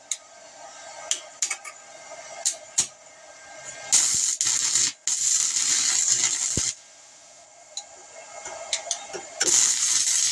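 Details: 120V handheld stick welder, taken apart and modified, powered by a 2500 W ALLPOWERS power station while welding on a bolt, Hobart 6011 1/16-inch rod, cooling fan running: two short bursts of crisp, even crackling sizzle, a normal stable arc.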